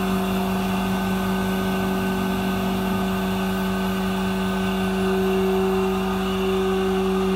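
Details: MultiCam 3-204 5x10 CNC router with a 5.5 HP Colombo spindle (32,000 max rpm) and 8-position tool changer, cutting at high speed. Steady, even spindle whine with a level cutting noise, no chatter or surging; normal cutting.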